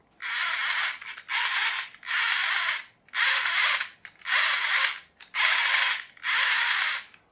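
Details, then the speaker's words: Plastic pinion gear loosely meshing and turning: bursts of dry, rapid clicking and rattling from the loose fit; it is likely to slip and wear faster than a better-matched gear. "can hear it clicking and rattling so it's not going to last for as long as that one will"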